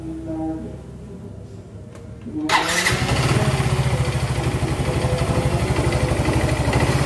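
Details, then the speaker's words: Yamaha Mio Z with a new block and piston set installed a few months earlier, arrived not running: starts quickly, then a loud, fast metallic clatter about three a second over the idle; piston slap. "Nah, terus sekarang kondisi motor ini bunyi kemelatak parah itu, kenceng suaranya, seperti ini suaranya."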